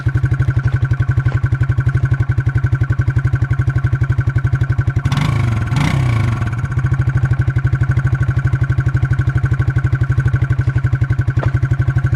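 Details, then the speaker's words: Suzuki King Quad 300 at idle with a cheap homemade beer-can muffler fix, quiet like factory. Even, deep putter at about four pulses a second, mellow exhaust with no rasp or rattle. Normal idle. "it works really good and it's really quiet this thing is a joy to drive like i said it's got lots of low end now this thing really really helped it guys"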